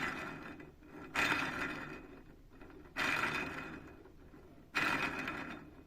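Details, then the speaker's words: Honda Titan 160 motorcycle camshaft bearing removed from the engine and spun by hand: gritty rasp repeating about every two seconds from a pitted, worn bearing; the engine ticked when cold, louder over time; fix is new bearings and valve adjustment. "Olha o comando aí, ó, com rolamento antigo. Às vezes o pessoal aí foca muito na regulagem de válvula que fica batendo no motor."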